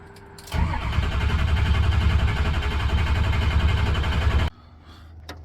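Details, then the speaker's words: 2004 Ford F-350 cranking steadily at about three to four turns a second for four seconds without firing; no fuel in the bowl, both fuel filters gunky with debris in the fuel, being replaced. "I pulled out the filter it's pretty gunky in there there was nothing in there there's some [ __ ] in the [ __ ] fuel the filter looks like garbage"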